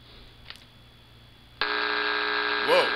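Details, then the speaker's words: SpikerBox line out into a laptop line in, laptop on its charger: near silence, then a loud steady buzz with stacked even tones; mains line hum that drops when the laptop runs on battery. "that doesn't sound good at all but wait remember what I said about 6 Herz line noise"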